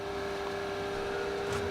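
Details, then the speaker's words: HP laptop (model 3165) at startup: loud, steady mid-pitched fan hum with airy rushing. The cooling fan is clogged with dust and straining to push air; the fix is disassembly, cleaning and new thermal paste. "дефект его заключается в том что когда его запускаешь очень сильно может быть слышно да вам очень сильно гудит вентилятор"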